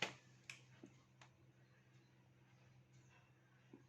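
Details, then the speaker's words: Lenovo E41-25 laptop on charger, stuck at the Windows 7 screen and auto-restarting: faint irregular ticks, about five in four seconds, over a quiet hum while booting, heard with the ear at the hard drive; the hard drive is failing. "So hard disk தான் வந்து ரொம்பவே அதிகமாக sound வருது. இந்த கேஸில் வந்து பார்த்தீங்க அப்படின்னா ஹார்ட் டிஸ்க் ஃபெயிலியராக இருக்கும்."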